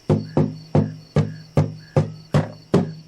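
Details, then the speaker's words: 75-year-old 1941 Kay-built Silvertone archtop guitar, top cracked from dryness. Tapping the top, about two taps per second, leaves a thin buzzing ring after each thump: a broken, loose brace hanging from the top. "Listen to this. I hope the camera gets this. This is a broken and a loose brace."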